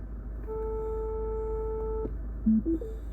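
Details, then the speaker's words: Mini Cooper Clubman R55, on selecting reverse: a single steady mid-pitch beep lasting about a second and a half, with a "parking sensors unavailable" warning. Fault codes point to the rear left and rear centre left sensors, both suspected faulty. "so I got a beep then when I put it in reverse I don't know if you heard that and I've still got the exclamation mark saying parking sensors is unavailable"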